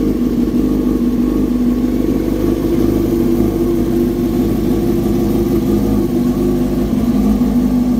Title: 2007 yamaha R6s First start after Replace the ignition coil